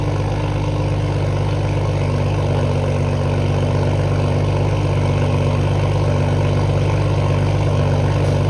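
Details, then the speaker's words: Toyota Supra idling cold just after new downpipe install and cold start: deep, loud, even idle, steady low drone, no ticks or misfires; idle sounds similar to before the downpipe. "At idle, sounds pretty similar, but we're gonna go rip it a little bit and see how it sounds."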